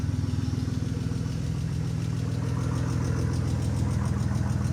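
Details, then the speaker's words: BMW E46 at 196,000 miles, restarted after sitting over a year and a half following a break-in, every check engine light on: steady idle with a sharp, evenly spaced tick about three and a half times a second, cause unknown. "That ticking is getting loud. Every check engine light is on."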